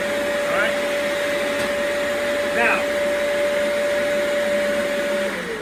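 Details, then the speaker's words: Turbo Clean Dual Pro Pet shampooer on a suction test, suction shared with the floor head so it reads weaker than a direct motor test: a steady, even motor whine at one pitch with no surging or rattle; running normally. "in mind that I'm sharing the suction this little section here I'm sharing it with going towards the floor so it's not going to be this little test it's not going to be as strong as when I test the motor"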